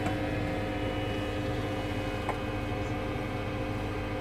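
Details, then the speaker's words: Trianco Aztec electric boiler with vented cylinder, heating switched on: quiet, steady hum of constant pitch, no rattles or grinding, as the circulating pump sends flow up through the unit; the pump runs normally, though the fault is no hot water. "you can hear the pump running so this is a pump here which sends a flow up through the unit and out the flow"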